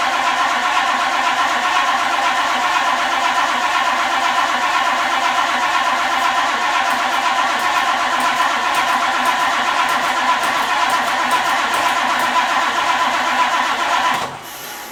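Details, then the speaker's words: 1962 Ford Thunderbird Landau, sat several years, after blowing out tank-to-pump fuel line: strong, even cranking about four turns a second for fourteen seconds without catching; crank no start blamed on failed fuel pump. "It's leaning towards the fuel pump. All right. Now I know. You saw I got a good crank. I got a good crank out of that, and it just wouldn't start. It's the fuel pump."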